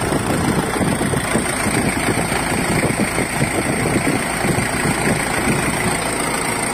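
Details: Ford Everest diesel with a no-start glow plug problem, engine replaced and reported solved: steady, even idle with a soft rapid clatter underneath and no misses or knocks. The engine settles and runs normally.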